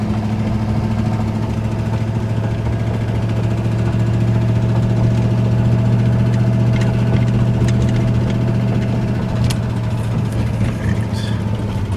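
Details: Ford Ranger with 302 5.0 V8 at idle: deep, uneven knock about four per second over a rough idle; worst rod knock yet from a worn rod bearing.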